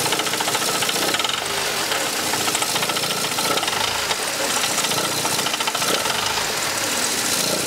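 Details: Mercedes C124 230CE with 2.3 M102 engine: loud, harsh, uneven metallic rattle over a low idle, persistent at low revs; exhaust, heatshields and flex plate checked and ruled out, cause unconfirmed.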